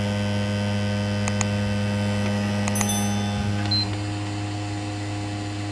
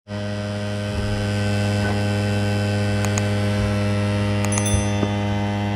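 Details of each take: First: PS5 disc drive after DIY noisy-drive fix: steady low spin-up hum with light clicks, still loud at start but quieter than before, when it sounded like it was eating the disc. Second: PlayStation 5 disc drive spinning up on boot: loud steady droning hum with a few light clicks and knocks; owner considers the noise concerning, cause not confirmed.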